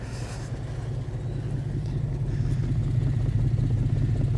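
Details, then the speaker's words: 1980 Dodge W200 with a swapped 5.9L Magnum V8 on a winter cold start. Deep, lumpy idle missing one pulse per cycle; the exhaust smells of gas and blackens the hand. Dead cylinder on the passenger side, suspected fouled plug or burned valve. "It smells like gas, and it's got a ton of pressure and it's turning my hand black. That's not good. That's missing on that side."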